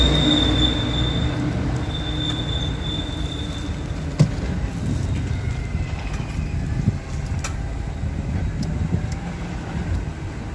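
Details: BMW E39 slow-moving, low rumble with thin high squeak and creaks from front suspension, appearing after new arms and shocks once temperatures exceeded about 17°C; ball joint lacked lubrication, fixed by adding oil under boot.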